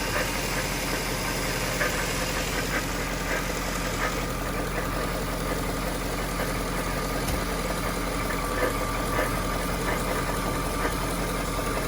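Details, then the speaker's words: 1998 Jaguar XK8: a low grinding rumble at idle, like a metal pipe dragged on the floor. It fades as revs rise and worsens with AC on or the wheel turned; the tensioner is new and its tension looks fine; source unfound. "it's a low grinding rumbling it almost sounds like a a vibration of some like it sounds like a metal pipe being dragged on the floor and you can only hear it when it's idling"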